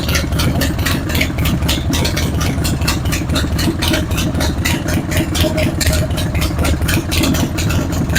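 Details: Harley-Davidson Road King idling before repair: a loping V-twin idle with a sharp, dry tick on the firing pulses, about two a second. It comes from an exhaust leak at the front cylinder's exhaust flange gasket, which had carbon on the pipe. The front motor mounts are worn out, letting the engine bounce.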